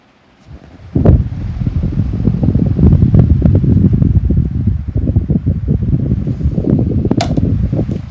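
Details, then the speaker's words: 2010 16-inch pedestal fan running without its front grill: it spins up to a loud, irregular low rumble with fluttering thumps as the motor shakes excessively. "media that's wrong the motor shaking is shaking so much hi goodness me is shaking a lot you can hear it off i don't like how much you're shaking"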